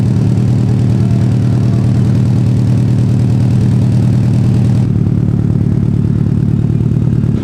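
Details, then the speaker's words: Subaru STI after cat-back exhaust install, idling: deep, lumpy flat-four note with a faint puffing tick from a small exhaust leak, to be fixed. "Uh, you can definitely hear the exhaust leak a little bit, but we'll fix that."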